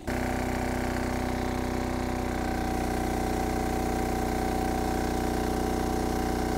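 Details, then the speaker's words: MEP-531A/501A military diesel generator after priming the fuel system, loaded to about 75% with a heat gun on 110 V: even, steady drone with little or no stuttering or surging; air purged and running properly. "it didn't even seem like it stuttered that much compared to some of the other ones that I've done"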